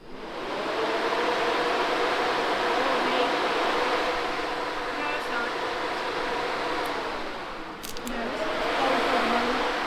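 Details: Small block Chevy on an engine stand with newly added radiator and electric fan: steady whirring drone with soft hum, dipping briefly then spinning back up; cooling fan running, blowing direction questioned.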